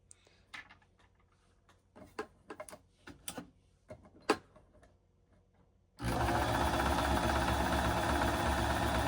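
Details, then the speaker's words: Shark EuroProX 605 sewing machine after cleaning, new grease and oiling: after some handling clicks it settles into a steady, even whirr of about four strokes a second with no more of its earlier knocking; normal, smoother running. "It sounds a lot smoother. It did have a bit of a knocking noise, and I'm not sure exactly what that knocking noise was, but again, I am very, very pleased that a simple oil on the machine cleaned this guy up quite a bit."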